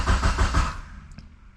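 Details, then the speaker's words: 2G GSX engine on FuelTech ECU with a new tune, first start attempt: starter cranks in even strokes for half a second with no firing, then stops; ECU sees no crank signal, later traced to poorly seated CAS connector wires. "Okay, we've got no signal from the crank."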